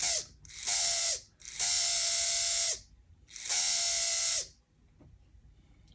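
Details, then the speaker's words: Athearn Band-Drive F7 model locomotive motor in reverse: high buzzy gear whir in three short bursts, each dropping in pitch as it stops, no light; owner suspects a bent side needing adjustment. "let's try in Reverse make sure it works both ways ooh made a we noise there doesn't light going"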